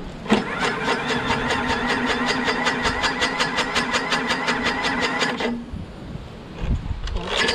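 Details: Craftsman lawnmower, Briggs 6.5HP Quantum engine, after carb clean, new starter, battery and magneto, primed, electric start: fast even chugging about five seconds, brief pause, catches again; starts, though owner hears an unexplained clanking.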